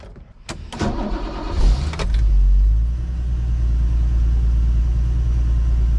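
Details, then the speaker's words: Turbo-converted BMW 733i E23, cold start before its second drive: catches after a couple of cranks and settles into a steady, even low idle with no misses; it runs well. "Idling pretty nice. I usually like to let it warm up a little bit, but we'll take a nice light cruise around here and see what happens. It's running good so far."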